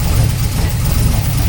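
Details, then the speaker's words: TVR 290 S first start on MS2 with Ford TFI black CCD module, distributor-triggered ignition, manifolds wrapped: deep idle with uneven, lumpy beat and dropped pulses; misfiring, apparently running on three cylinders. "it does sound like it's missing a bit"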